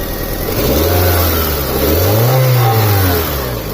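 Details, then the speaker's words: 2003 Honda Civic 1.7L with a power-loss complaint and a restricted exhaust, after the restriction was addressed: a snap throttle revs up and drops cleanly back to a steady idle, and the exhaust pressure transducer reads zero. "So guys, I got the car out on a test drive. Seems to be running great. There's no issues."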